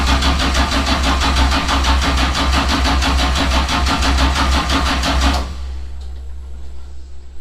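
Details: Newly built 427ci LS, solid roller cam, dry sump, Link Extreme ECU, first start attempt: starter cranks at an even rhythm about five seconds with no firing, then stops; crank no start, suspected low battery voltage with charger switched off.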